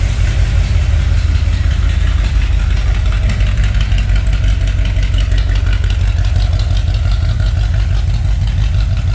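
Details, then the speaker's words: 1964 Ford Thunderbird, top end rebuilt after freeing stuck valves; lifters pumped up after a short run. A steady, even low idle with no tapping or stumble; it now idles smooth, having likely been down one cylinder before. "so now that we ran it just a little bit our lifters are pumped up things sound better and it idle smooth oh it idles smooth"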